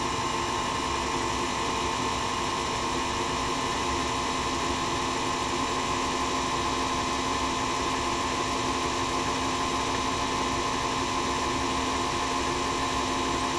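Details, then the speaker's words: Singer Featherweight 221 sewing machine motor, after repair of damage from wrong lubricant (had been grinding metal to metal), running with no needle load, only belt over balance wheel; smooth, steady electric hum with constant whine, no grinding; normal running. "now with no load and even coming over the balance wheel with a belt so I guess technically there's some modest load on the machine but it's not turning the shaft that goes to the needle"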